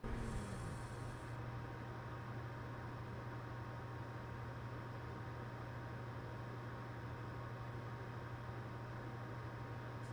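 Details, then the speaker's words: Cooler Master 120mm sleeve-bearing "Silent Fan" case fan running alone (other case fans stopped) in a PC case: steady low hum with a faint high-pitched whine, like a small hair dryer; healthy fan with slight whine. "now as far as sound goes these fans do kind of emit like a high pitched sound I'm not really sure where to put my finger on it but it kind of sounds like a hair dryer at a smaller level"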